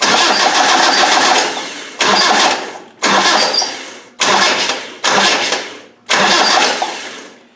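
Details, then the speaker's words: Land Rover 300Tdi diesel cranked: six short one-second cranking bursts with a thin high chirp, trying to stop where it squeaks, just off top dead centre; squeak while cranking, source unknown. "when I try to fire it I want to stop it where the squeak is it's kind of difficult there it squeaks there"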